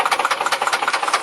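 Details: Nissan Cefiro with VQ20 engine: rapid, hard, loud metallic knock pulsing with every firing over a rough idle. The cause is not pinned down; the owner judges the engine beyond repair and advises replacing it.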